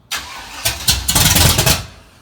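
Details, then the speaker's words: Dad's carbureted car: cranks, pops and spits back through the carburetor in quick bursts, catches a moment and dies; no start; owner suspects ignition timing. "don't see what i mean is spat backwards or should i bring it back"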